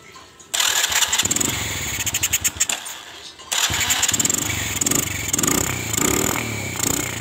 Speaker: disini posisi mesin terasa berat yang suaranya terasa berat dan terasa mbrebet sekali